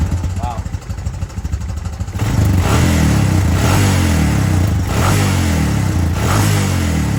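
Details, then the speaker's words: 2005 Honda Recon 250 ATV that ran very rich on aftermarket Chinese carb, after cleaning plug, fixing tight cable and fitting stock jet sizes: steady, even single-cylinder idle, no lumpy misses; normal idle. "yeah way better way smoother it's not real lumpy and jumpy like it was before so that seems to have uh done the trick just putting the stock jet sizes into the ACT market car"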